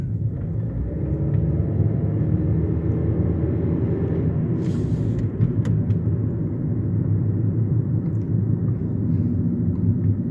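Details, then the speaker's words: 2008 Hyundai Elantra driving, recorded in the cabin: a steady deep roar with no engine beat standing out. Owner says these are the noisiest tires he has experienced, annoying on the expressway. "these tires are absolutely noisy. They are the noisiest set of tires I've ever experienced. Like, on the expressway, it's annoying as hell."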